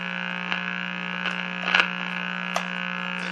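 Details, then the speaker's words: Meck XB-702 TV under restoration, with no reception; a steady low buzz with an edgy tone holds at constant level under faint clicks and does not respond to the volume control; cause not yet traced. "sound has got to be something real basic i mean the volume it doesn't respond to the volume control it's just a persistent wow"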